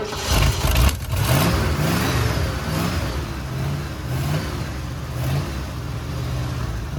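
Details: 1979 Ford F100, sat ten years, run on temporary fuel line with jumper battery: uneven lumpy idle with irregular surging, wavering revs, running only with choke almost fully on; fuel delivery trouble suspected.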